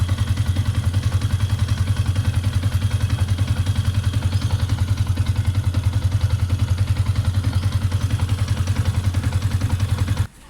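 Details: Yamaha Sniper 150 at idle after fitting a Honda TMX 155 rubber clutch damper and 1 L of Shell AX7 oil in a job that included removing the oil filter: even, steady single-cylinder thump with no clatter, then switched off; normal idle.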